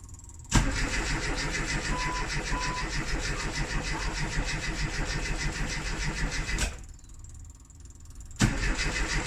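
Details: Classic Rover Mini with points ignition, left sitting three months: starter churns steadily about six seconds, stops, cranks again, engine never fires; crank no-start after long storage with heavy battery use, cause not confirmed.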